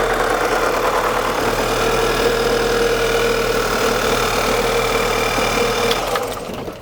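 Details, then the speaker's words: 2009 VW Tiguan 2.0T at startup: long cranking, then rough running with a steady metallic chattering about four times a second; the timing chain system is badly worn. "I've worked on enough of these Volkswagen and Audi 2.0Ts to know long cranking, runs rough, clattering, chattering noise. The timing chain system is on the brink of, it's bad."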